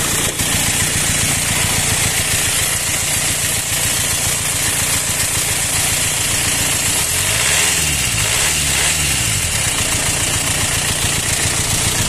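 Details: Four-cylinder engine swapped in for the original six, rough and loud since being removed and refitted. Uneven idle with a coarse hissing rush beating three to four times a second; owner suspects air in the hoses, unconfirmed.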